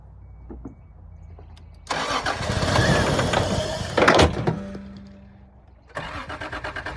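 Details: 1986 Toyota Supra, long-idle revival, out of ether: starter cranks at a steady rhythm and it briefly tries to catch but never runs; no fuel pump heard, owner suspects a gummed-up fuel pump.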